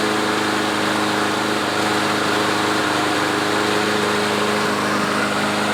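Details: Troy-Bilt walk-behind mower after self-propel cable lubed and fuel stabilizer added; engine holds a steady, even buzz with no misses or surging, running normally.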